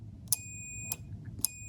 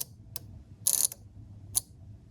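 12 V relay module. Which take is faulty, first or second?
second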